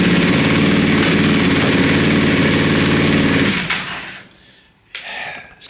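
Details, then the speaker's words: Wrecked 2020 Ducati Panigale V4S during rebuild, first start with oil and fuel vapour smoking off the engine: rough, fast-pulsing engine catches for a few seconds, then dies with a sharp pop; backfire, cause unknown. "a definite uh I don't know it's like a backfire or something can you hear that"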